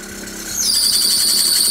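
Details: Renault Twingo after repairs for low compression on cylinder 4: right as the engine catches, a sharp high squeal holds over a now smooth idle with the check engine light still on; startup squeal of unclear cause.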